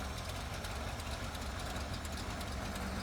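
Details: 1970s Ford pickup that sat about 25 years, running after fuel was primed up: low, steady rumble at idle with an even beat and no misses or stumbles. Runs smooth. Normal idle.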